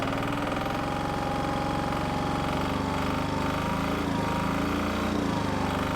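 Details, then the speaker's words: Onan military MEP-016B 3 kW single-cylinder diesel generator revived, first start once fuel was primed: fast, even thumping holds a steady beat with no misses or stumbles; running smoothly. "awesome that is awesome I can't believe how easily that started it's just like it fired right up once we got fuel up there"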